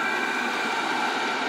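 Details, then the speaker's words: Maxpeedingrods 5 kW diesel air heater, 12V, running after initial heavy smoke at startup: steady, even roar of fan and burner with a faint high whistle, no sputter or surging; normal running, very hot output. "okay guys the heater is fully functional now it was a lot of smoke at the beginning as you can hear it's working fine no problems"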